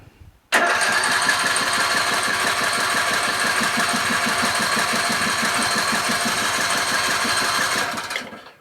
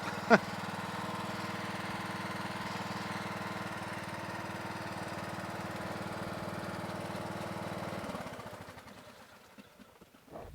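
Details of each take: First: Craftsman LT1000 lawn tractor, ready for sale after three carburetor changes and sitting two days: with choke on and fuel shutoff opened, steady starter churn for about seven seconds, never catches. Owner suspects lack of gas. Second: Craftsman LT1000 lawn tractor: steady, even note holds speed for eight seconds without hunting, then winds down at shutoff; carburetor runs clean with no surging, which was a big problem with it; normal running.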